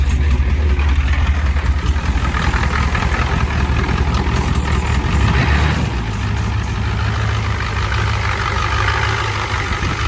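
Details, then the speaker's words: 1989 Ford F250 7.3 IDI diesel just fitted with used injectors from a '91 parts truck: heavy clatter at a raised, uneven speed after start, never dropping to idle; owner wonders if not all 8 cylinders are firing. "Just doesn't go down to idle."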